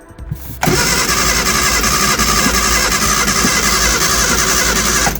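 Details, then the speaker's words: Early-2000s Reliant Supervan with carburettor and choke, fuel leak fixed and battery reconnected: strong steady cranking whirr for about four and a half seconds that never catches or fires; cranks but won't start. "not got a fuel lick anymore so that's good but also we've not got to start either interesting"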